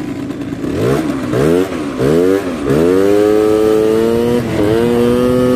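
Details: 139QMB scooter with LeoVince muffler just repacked with dish-scrubber pads after it sounded partly blown out, revving up and down then holding a rising tone on the move; crisp, more metallic exhaust note, running fine.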